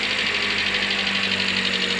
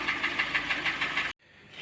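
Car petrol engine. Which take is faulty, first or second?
second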